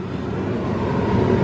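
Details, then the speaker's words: 2002 Dodge Ram 1500 4.7, new blower motor and resistor fitted after the blower worked only on high: smooth, steady rushing fan on high with no rubbing, ticking or wobble; the blower is running as it should. "notice how smooth that sounds notice the sound of it that's how it's supposed to sound"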